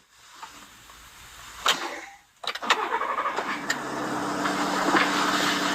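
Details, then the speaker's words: 3.5L EcoBoost truck fitted with a Master Lube pre-oiler, oil pressure primed before cranking: a brief crank, then it fires and settles into a smooth, steady fast idle with no cold-start rattle. Normal cold start. "Started up without any rattle. Got oil pressure before I started. This is great."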